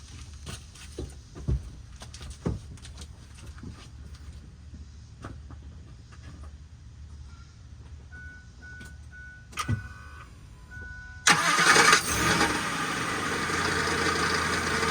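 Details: SUV just after a full transmission rebuild with a new torque converter: clicks and a chime, then the engine starts and a rough metallic grinding from the flywheel/torque converter area rides over the idle. Owner suspects converter misalignment, flexplate, spacing or starter engagement.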